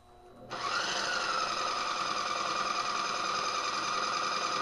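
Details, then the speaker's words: Wagner paint sprayer taken apart, Johnson Electric motor wired directly and turned all the way up: steady buzzing hum with a fast, even pumping rattle held constant; sprayer pump running normally. "the noise I'm used to paint sprayers making so look at what this thing does when you crank it all the way I can't believe it's supposed to run like that"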